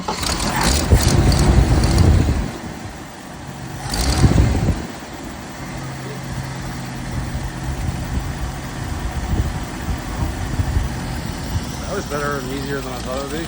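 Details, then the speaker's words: 1979 Jeep CJ5 sitting since 2019, started with starting fluid while fuel filter fills, fuel looks bad and smells stale: two throttle blips, then low uneven idle that stumbles and hunts; running rough, cause unconfirmed. "yeah it's running pretty crappy so go ahead and let us see if can Sho on this jeel for a little bit see what it does give it a idle"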